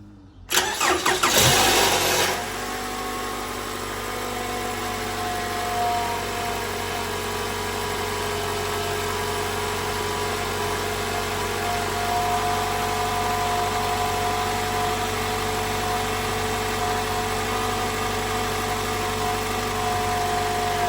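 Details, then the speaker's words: 2012 Toyota Camry 2AR-FE 2.5 L cold start: harsh loud rattle on firing that fades within two seconds to steady idle; from intake VVT-i cam gear (phaser), to be fixed by replacing its internal spring. "So, as you can hear, that is a bad rattle. Not as bad as others I've heard, but still bad."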